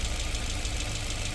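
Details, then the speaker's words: Maruti Brezza engine after overhaul for bad sound (bent connecting rod found): steady even idle with low smooth beat, no knocking or ticking; normal idle. "पंखा एक बार चल गया और condition यह देखो engine की ठीक है जी"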